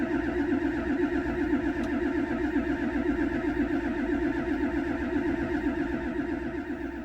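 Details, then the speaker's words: 1999 Ford F-250 7.3 Powerstroke diesel, sat over 3 years: steady cranking about two turns a second, no firing or white smoke, 55-60 psi fuel pressure; crank no start from loose high-pressure oil pump drive gear. "And I come across a little bit of information on the gear for the high pressure oil pump, maybe acting up."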